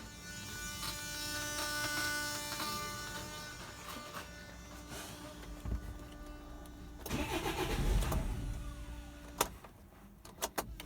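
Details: Land Rover Freelander TD4 diesel, 89k miles, died and won't restart despite new low-pressure pump and filter and good pressure on diagnostics; starter churns, engine catches briefly then cuts out; timing issue suspected, undiagnosed.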